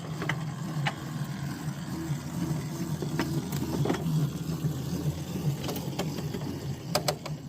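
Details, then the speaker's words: Mill Brook line in cold weather, train entering a siding: sharp isolated snaps over low rolling rumble as wheels cross the switch points and frog; normal switch clicks. "Now listen for the snaps of the switch frog, or the switch points."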